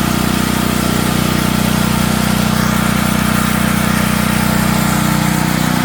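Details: Natural-gas home standby generator started at the beginning of hurricane season. A steady, hard-working drone with a coarse buzzing shake underneath. The shipping brackets were never removed and caused heavy vibration, so they were taken off.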